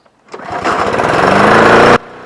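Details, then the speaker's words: Briggs & Stratton 6.5 hp on a Craftsman Gold push mower that previously started only on starting spray. Cold start after cleaning the plastic carburetor: fires first pull and rises to a steady, even run with no sputter. "I've got the carburetor back on there I wanted to give her a cold start here and see if she fires up"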